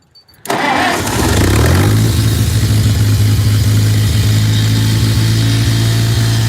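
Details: Cold tractor just bought, fresh gas added; cranks, catches, then idles low and uneven with stumbles and dips. Water in fuel suspected, but the bowl fuel looked fine and the owner suspected the air filter.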